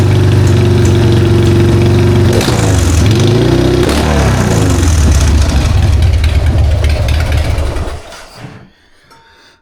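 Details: 1999 Harley-Davidson Sportster 1200 with S&S Super E carb after cleaning and replacing the accelerator pump, the suspected issue: deep lumpy V-twin thump revving up and down cleanly, no sputter, then shut off; normal running after repair.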